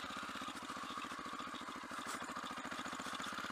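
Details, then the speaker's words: Motorcycle idling after a hot start: quick, even idle pulses with a thin, steady mid-pitched squeal riding on top; squeak at idle, source not identified. "Can you hear that fucking squeak?"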